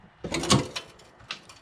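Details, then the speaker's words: 2000 Porsche 911 Carrera 2 being lowered off the jack in a quiet garage: a couple of sharp clicks and a clunk from the suspension as the car settles; cause not confirmed. "There's a click. It's not a fun sound. That's not. That's a horrible noise."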